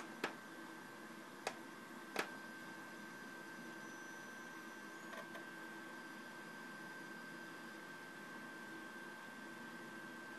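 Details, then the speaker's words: 250 GB hard drive with speed-test problems and bad clusters, case doors open and fan off: a few sharp irregular clicks over faint steady whine; drive suspected failing. "it looks like the 250 gig Drive seems to be suffering from problems uh as you can see in the speed menu it also sounds very weird from time to time"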